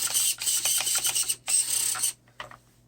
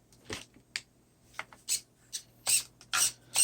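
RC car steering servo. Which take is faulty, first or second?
first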